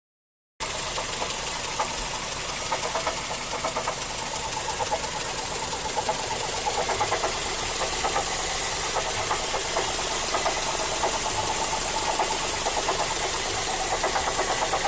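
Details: Mazda3 GT 2.0 petrol engine running with a light, fairly regular knock from the engine bay that follows engine speed. The owner is unsure of the source and suspects the A/C compressor clutch.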